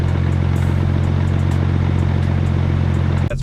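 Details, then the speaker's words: BMW 335i N54 single-turbo, manual, with X Clutch organic twin-disc clutch: idle raised to 900 rpm, AC running, loud fast flywheel/clutch chatter rattling over a deep hum, worse with AC load, easing when AC is off. "i don't know if you can hear that turn off my blinker real quick that's loud especially with the ac running"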